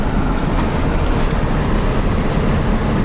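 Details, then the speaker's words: 1996 Chevy K2500 350 V8 after its lean P0171/P0174 repair, driving at wide open throttle: deep, steady, even pull with no miss or knock; O2 sensors stay rich, fuel trims in single digits, healthy. "oh yeah this truck feels really good look at those oxygen sensors wide open throttle stays Rich fuel Trims on the money single digits"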